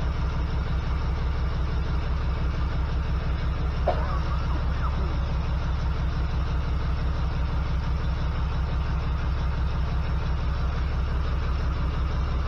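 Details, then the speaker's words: 1979 GMC C15 with an LS swap, code P0300: uneven idle thump, a beat stumbling now and then. Pulling plug wires, cylinder one gives no change and its wire arcs, so the owner believes the number one injector is bad, still plugged in; misfire. "It's the number one cylinder. It's arcing, so my injector must be bad."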